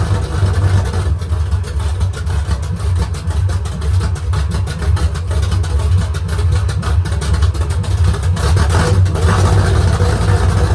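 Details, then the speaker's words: Rebuilt V8 on straight open headers at first start, idle set low; loud with fast clattery rattle at low rpm that eases as revs rise; valve lifter rattle, lash to be rechecked, lifters maybe not pumped up yet. "sounding pretty rattly, so I'm going to pop these valve covers off and recheck that lash and see. It's really rattly at low RPM, but it seemed as soon as I got a bit of RPM, it was not bad."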